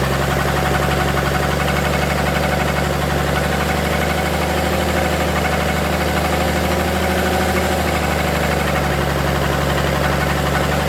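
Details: Forklift engine during its rebuild, just after thermostat install and fuel pump swap and rewiring, started with ether: steady, loud, even idle with a low rumble and no stumbling, now running cleanly on fuel; normal idle.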